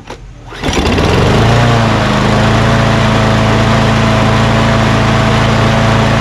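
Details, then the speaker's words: Craftsman push mower with auto-choke Quantum engine: catches after a short pull and settles into a fast, steady buzz. Engine speed is too high; the owner goes on to adjust it. "what did you what else did you guys notice when i first started it up that's right i thought the rpm was a little high right do you not feel that"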